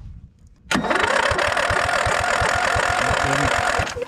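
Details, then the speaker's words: Snapper LT200 riding mower, sat over a week after cut, cranks at even four compression beats a second but won't start; ran briefly on fuel poured into carburetor, gas bubbling in filter, not drawn through; suspected fuel pump issue. "I put a little fuel into the carburetor and she started up and died down once that fuel was gone. So now I know I have a fuel issue."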